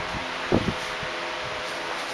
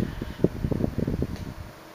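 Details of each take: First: 1976 Electrohome 30 cm (12-inch) desk fan, four clear blue pitched blades, on high speed: strong steady whir with no rattle or scrape, motor running fast and healthy. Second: 1976 Electrohome 30 cm (12-inch) Korean-made desk fan with four high-pitch plastic blades, on low speed: very quiet low hum, but irregular sharp cracks and ticks occur while oscillating, a clicking in the oscillation drive.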